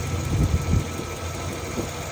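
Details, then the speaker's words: 2009 Chevy 2500HD 6.0L V8 plow truck idling rough with faint uneven ticking from a driver's side exhaust manifold leak; broken manifold bolt in head, throwing check engine codes; fix is new gasket and bolt extraction. "I sprayed it last night with TB Blaster but you can hear the ticking got a bolt back here kind of hard to see that broke off we're going to get that take that off and replace the gasket"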